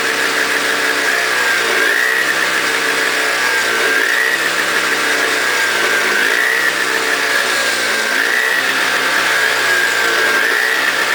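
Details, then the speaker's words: Toro CCR 2000 single-stage snow blower, 4.5 hp two-stroke, after cleaning; smoked from very old gas backed into the cylinder; warming up: steady high buzz with slight rhythmic rise and fall, holding speed; normal running. "oh so as you can hear it's running great um the one it was smoking smell like really really old gas"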